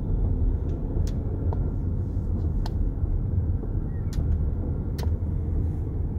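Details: BMW X5 F15 driving: heavy road rumble with a handful of sharp, irregular clicks and knocks from the front suspension over bumps.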